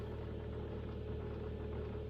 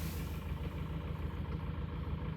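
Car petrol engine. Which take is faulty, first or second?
second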